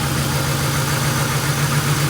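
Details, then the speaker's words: Uneven, pulsing V8 idle drone with shaking on a 1998 Ford Crown Victoria P71 that sat long on rotten gas and runs poorly after a pressure wash; suspected fuel injector problem. "yeah it ain't supposed to shake like that yeah yeah it's kind of rough"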